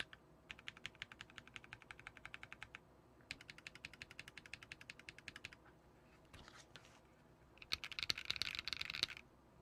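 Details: KBMG68Pro (FK680 Pro) acrylic gasket-mount, hot-swap keyboard with PC plate and dampening pads: quick bursts of crisp, even key clicks with no creaks while typing; normal typing sound.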